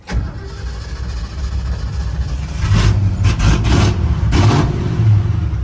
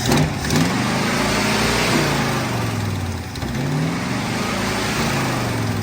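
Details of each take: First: 1970 Ford pickup, 56 years old, converted from 3-on-the-tree to 3-on-the-floor manual, just bought: cranks and fires quickly, settles to a steady deep idle, then revs up cleanly and drops back evenly; healthy engine. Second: 1970 Ford pickup V8, carburetor suspected partly plugged, rag-over-carburetor trick tried: revs up and falls back unevenly, hesitating and stumbling between blips; engine hesitation.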